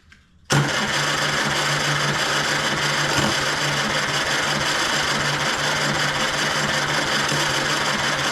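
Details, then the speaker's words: 1935 Austin 7 engine, full throttle, no choke, recharged 12 V battery, fuel reaching the exhaust manifold, little compression back-pressure felt: steady starter churn with an odd weak cough, never catching. Cranks but won't start, fires intermittently. "did you hear it fired oh man good starter no going to strike you hear it you hear it you hear it it's so close"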